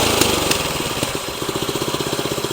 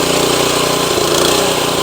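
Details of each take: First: Tru-Cut C-25 reel mower with Honda GX160, after carburetor replacement for surging, barely warmed up: settles to a steady, even low-idle putter with no hunting or surging after full-throttle run; carb now holds idle properly. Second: Tru-Cut C-25 reel mower with Honda GX160 engine, briefly warmed after choke start: busy drone that won't hold steady, swelling and sagging even at full throttle; surging blamed on the carburetor, later replaced.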